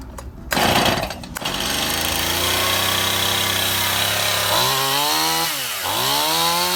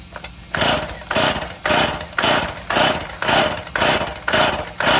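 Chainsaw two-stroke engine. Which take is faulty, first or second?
second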